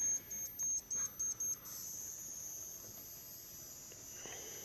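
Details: Push-pull driver with six-layer coil on ungapped ferrite pot core: several short shrill beeps, then a thin steady high-pitched whine holds; the pot core squeals, cause unclear.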